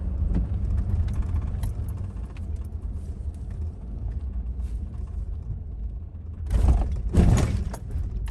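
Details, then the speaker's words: 2014 Ford F-350 driven over bumps to check the front end for shock and sway bar end link noise: low road rumble and two soft thumps, with no clunks or rattles. Front suspension sounds solid and normal. "Don't hear anything unusual."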